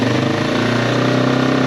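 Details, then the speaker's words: Yamaha XT225 single-cylinder dual sport warming up at idle: steady even smooth mid-pitched drone with no knocks or ticks; slight blow-by that goes away when revved, normal, healthy. "Yeah, and it pretty much goes away when you rev it, so that's pretty normal. Sounds good."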